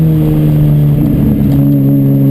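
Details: Chumpcar race car at Watkins Glen, mid-day Saturday: loud engine pulling hard with an uneven, stumbling note and irregular dips in the drone; misfire under load.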